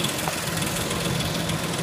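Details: 2004 Ford Explorer at steady idle: quick light ticking, a failing timing chain tensioner letting the chain slap; tensioner broke during replacement, engine removed to replace timing chains.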